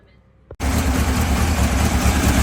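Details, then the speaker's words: 1967 VW Bug engine with a Holley bug spray carburetor and a plastic fuel filter, running for the first time. It catches at once and settles into an even, steady low rumble with no misses or knocks; healthy idle. "all right so I got the bud spray motor running sounds good still going to be some time before it's running so people don't worry about my fuel filter"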